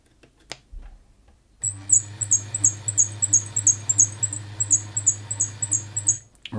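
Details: Bernette 50 sewing machine, very noisy from lack of maintenance, gives a high sharp chirp about three times a second over the motor hum, in step with the stitching, while the squeak's source is tracked down; cause not confirmed.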